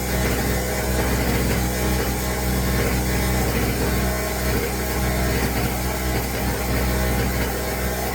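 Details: Pulsar 1200 W portable generator, new from box, running on choke: buzzy, weed-whacker-like small engine, a little uneven with faint stumbles; sputtering while cold.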